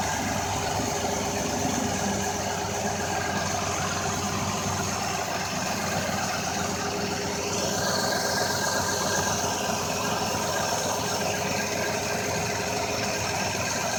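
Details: 2004 Ford Escape, engine settling into a smooth, even idle with a steady hum and no misfire stumble or ticking; running healthy.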